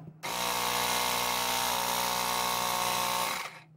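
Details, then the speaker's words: Ryobi P737 18V tire inflator after repair, with a DIY 3D-printed replacement cooling fan and regreasing, inflating a small child's soccer ball: steady, even buzzing hum of constant pitch, with no rattles or strain. Finding: normal inflator running under load. "that's much better all right so as you can see that actually worked out okay"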